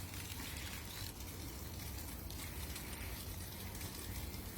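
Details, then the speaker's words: Basecamp BOSS instantaneous water heater running at maximum with an electric pump and hand shower: only a soft, even hiss of flowing water and burner, no roar, popping or buzz; almost silent, normal running. "ça fait quasiment pas de bruit, on n'entend quasiment rien."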